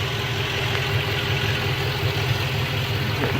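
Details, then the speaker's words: 2007 Ford F-150 4.6 2V V8 after swapping ignition coils to cure a P0306 cylinder 6 misfire; the cylinder 6 spark plug was possibly loose. It now gives a steady, even idle burble with no skips. "so swapping the coals somehow took care of the misfire maybe it was the spark plug loose"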